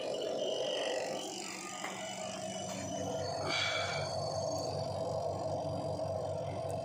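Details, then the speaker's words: Washing machine spin dryer just after its motor seal was oiled: a steady, smooth whirr with light ticking from the timer knob's mechanism. There is no grinding or scraping, so the dryer noise is fixed. "देखिए कितना ज्यादा smooth हो चुका है और इसमें जो टर की आवाज आ रही है वो इस बटन की आ रही है।"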